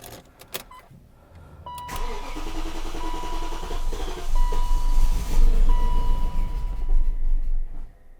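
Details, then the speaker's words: 2001 BMW E38 740iL started after sitting parked: cranks, catches and runs unevenly for about six seconds, then dies, with a bad smell. Owner suspects a failing fuel pump starving it of fuel, linked to a new sound from the rear. Hard start and stalling. "as you can see the car's not really starting up it's dying right away probably because there is not enough fuel getting to it because the fuel pump is going"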